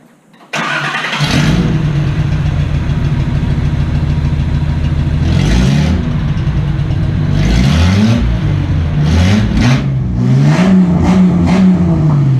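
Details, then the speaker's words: After fuel injector replacement and removal of a disintegrating catalytic converter, the engine runs open headers into a couple feet of pipe; it barks on start, throbs deep and loud at idle, and booms raw on blips. "so right now I'm running headers to a couple feet of pipe so it's pretty loud it's pretty ridiculous I'll go ahead and crank it up and let you guys hear it though"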